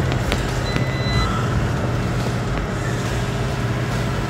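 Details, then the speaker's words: Bogged vehicle pulling out in third gear with one track grabber fitted: deep labouring drone with brief high electronic beep; driveline strain with warning beeps, blamed on the single track grabber. "You hear it grizzling and beeping at me. Doesn't like having one track grabber on."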